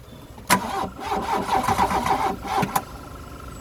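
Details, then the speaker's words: Classic VW Scirocco Scala, first start after sitting 6 years: long uneven cranking with ragged catches that never run on; fuel supply or flooding suspected, not confirmed. "it must be getting fuel cuz it's firing attempting to fire give a bit of throttle maybe it's too much fuel"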